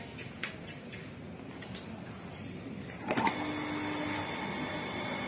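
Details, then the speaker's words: Shimizu water pump after repair of a shorted motor coil, tested with water load: it starts after about three seconds and runs with a light, even hum, turning freely with no droning growl; normal running. "sekarang sudah bisa dipastikan bahwa pompa air ini sudah normal dan putarannya sudah enteng dan tidak terdengar dengung lagi"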